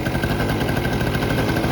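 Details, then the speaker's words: 1984 Honda Aero 50, a 50cc two-stroke. The oil injection line was popped off to check that the pump delivers oil, creating a vacuum leak: fast, slightly ragged, breathy idle. "and that just caused the vacuum leak but we should see oil pumping out of this"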